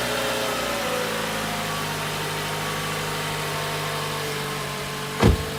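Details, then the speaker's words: 2014 Toyota Camry 2.5L after spark plug replacement, checked for misfires: smooth, even idle with a steady low hum and no stumbles or skips; engine runs cleanly with no misfire. "just gonna go ahead and take a look and make sure everything looks good and also listen to it to see if it sounds like this any misfires sounds pretty good right now so I think it's gonna be good to go"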